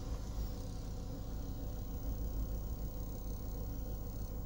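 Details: US-market Ford Escape after repair of a sudden no-start (ECU relay clicking, blown ECU fuse, ground wire traced), codes cleared; low, even rumble holding steady without misses, knocks or surging, healthy normal idle.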